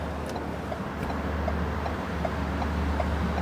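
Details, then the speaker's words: New Ford Ranger XLS MY2025 idling with incandescent turn-signal bulbs: even, light left-indicator clicks at a steady pace, no hyperflash; the flasher works normally. "เสียงไฟเลี้ยวฝั่งซ้ายปกตินะครับจะได้รู้ไงว่าบางทีติดแล้วแบบเฮ้ยมันยังไงนะครับ"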